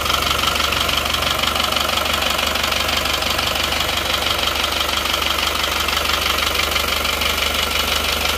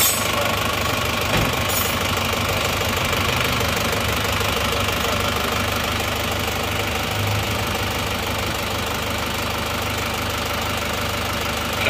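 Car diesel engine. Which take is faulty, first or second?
first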